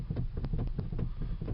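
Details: 2008 Ford Escape with the key off, steering wheel turned: irregular dull pops and clunks, with steering going loose then briefly tightening while driving; worn steering shaft U-joint, common on 2008–2010 Escapes.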